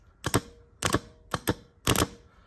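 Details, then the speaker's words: Land Rover Defender starter motor bench-tested with jump leads from a 12V battery: four sharp double solenoid clicks with no motor whir. The oily, rusty starter is jammed or seized and was replaced with a new one. "that looks like a big no something wrong with that um not quite sure what uh it looks like it's jammed or something I can hear it ticking so I think I'm going to throw that one away"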